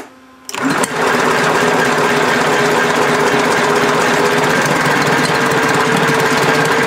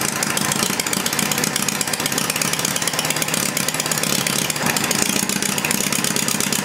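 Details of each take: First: Homemade inline four-cylinder engine built from Briggs parts, first runs with an unadjusted carburetor that has an adjustable needle: loud, uneven firing about three or four beats a second with a brief stumble; runs rough, mixture likely off. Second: Homemade inline four-cylinder Briggs-based engine warmed up, heads measured at about 130–150°: crisp, even firing at a steady idle with no knocks or misses. Normal idle.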